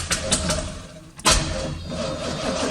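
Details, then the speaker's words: 1985 Chevrolet Corvette C4, sat about 2–2.5 years, after reseating the battery terminals: the starter turns the engine over in quick even beats with no firing. Cranks but won't start; the owner suspects no fuel. "oh i would think that she should try and start by now no fuel huh [Music] hmm well that's not good it's just turning over"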